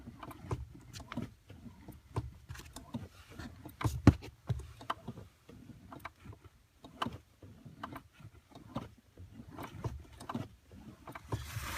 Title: Squeaking Sound on clutch 2015 Subaru WRX STi